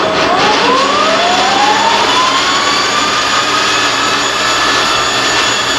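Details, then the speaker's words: Monarch Merit lathe after converting its non-working DC drive to an AC drive; spindle at about 420 rpm, deceleration time much longer than acceleration. Whine climbs smoothly as the spindle spins up, then holds a steady even pitch, no knocks or grinding; runs normally. "maybe i'll play with those as we go but all in all it seems to work seems to work fairly well"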